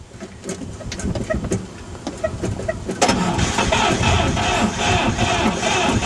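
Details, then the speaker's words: 1954 Chevrolet Bel Air test start after points and oil filter replacement, gas poured into carburetor; slow rhythmic cranking, brief firing that doesn't catch; fuel pump to be replaced next. Cranks but won't stay running. "Well, trying. I'm going to spray in some ether and try to start it up again."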